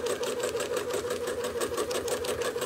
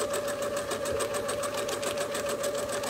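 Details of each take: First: Sewing machine during free-motion quilting, speed being raised step by step: fast, even needle chatter at a steady rate with no strain or knock, still running a touch slower than the sewer wants; speed set too slow. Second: Freemotion quilting sewing machine with speed adjusted up to a comfortable pace: quick, even stitching beat at about three and a half strokes a second, no clatter or labouring; machine running smoothly and healthy.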